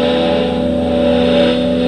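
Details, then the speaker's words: 30-year-old Roland JC-120 guitar amp played with a humbucker guitar: steady hiss with a low buzzing hum between notes, louder than it should be; owner suspects a power or speaker-wiring issue, repair failed. "So you hear that hissing sound, that's not good."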